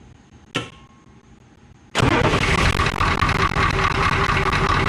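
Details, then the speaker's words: International S1654 truck after a new starter, oil cooler rebuild and new radiator, with a cracked exhaust manifold: brief crank, then the engine catches almost at once and runs steadily; it starts much quicker than before the new starter. "happens can you believe how quick that started wow that's impressive compared to what it used to be"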